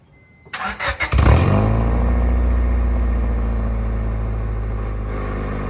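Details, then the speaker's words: 1996 Honda Civic CX with D-series engine, new cheap eBay aftermarket exhaust with flex section and rear silencer retained: starts after a few cranks and settles into a deep, loud droning idle with heavy low rumble; still an improvement over the previous exhaust. "The eBay exhaust sounds just like a cheap eBay exhaust. Who would have known? But somehow it's still an improvement"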